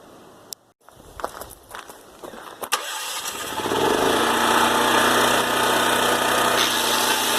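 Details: Older Honda EM3500SX generator after carburetor cleaning for water-contaminated fuel: a couple of pulls, then it catches and settles into a steady, even drone with no misses or hunting; running healthy.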